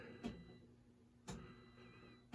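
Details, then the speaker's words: Gottlieb Black Hole System 80 MPU, driver board and power supply after rehab, run in a Spider-Man machine on lamp test 16: three crisp clicks about a second apart over a faint hum; relays and coin lockout pulling in cleanly. "And now that I have everything hooked up, you can hear the relays clicking."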